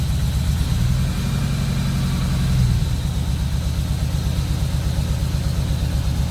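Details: Ford BF Falcon F6 Barra inline-six after a camshaft swap (old cams noisy, a roller suspected dead or dying), first start with tappet cover, plugs and coils refitted: steady, even low idle, smooth regular beat, no ticking or knocking; normal idle.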